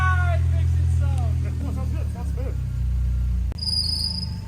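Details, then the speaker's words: Mercedes 190E being built as an Evo II replica, engine running with an old part refitted: shrill warbling squeal over the engine that rises, chirps and fades off. Serpentine belt squeal. "solid mint your belt sque holy crap man that sounds violin hey there we go"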